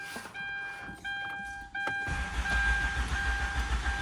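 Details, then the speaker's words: Hyundai Santa Fe: starter cranks steadily but engine never fires; check engine light fails to appear at ignition-on, and without it the car won't start. "Ayaw talaga siyang umandar kahit i-park mo 'yan."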